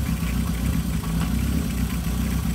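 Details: 1978 Kawasaki KZ650 C four-cylinder, revived after at least 5 years off the road, carburetors just synchronised without air cleaners fitted; even, steady idle with busy mechanical clatter, no stumbles or surges.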